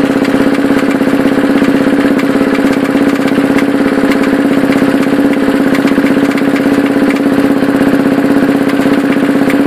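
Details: 2007 KTM 690 SM single-cylinder idling with steady uneven thump and odd droning hum; strongest on the sidestand, nearly gone when upright, gone when leaned right; cause unidentified.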